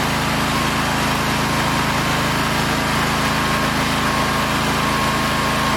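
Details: Cub Cadet zero-turn mower just after swapping a 23 hp Kohler Command for a 23 hp Briggs engine, started to check charging: an even, steady drone with no misses, knocks or surging, so the engine idles normally.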